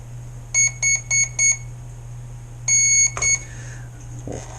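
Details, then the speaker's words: ZippKits R4 FE rigger RC boat, after swapping two motor leads to fix rotation direction: high sharp beep four times, then a longer pair, the ESC low-voltage warning; battery is dead. "Now it's going to go the right way. This battery's dead. Sorry."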